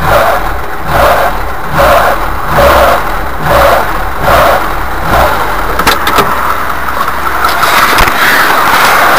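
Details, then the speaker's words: VAZ 2104 (Lada Classic) engine at idle: rhythmic metallic rattle swelling and fading about once a second; slack timing chain, likely broken-off chain damper if tensioning doesn't help. "звук Если вы услышали такой звук то значит у вас расслаблена цепь"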